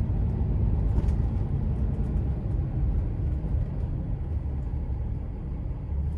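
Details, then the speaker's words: 2007 Dodge Ram 3500 4x4, 6.7 Cummins diesel, 68k miles, braking on back roads. Only road rumble and engine drone, with no squeak, whine, pop or clunk, and a firm pedal: normal brakes. "You can hear that they don't squeak. They don't whine, they don't pop, they don't cause any kind of clunks or anything like that."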